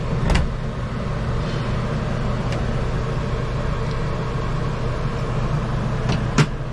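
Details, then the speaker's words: Newly installed Coleman Mach 15 RV rooftop AC on cool, heard from the roof: even low compressor drone with a couple of light clicks, no rattle or squeal; running normally, blowing cold. "We'll go up top and see if we can hear the compressor running. Yeah, you can hear it running."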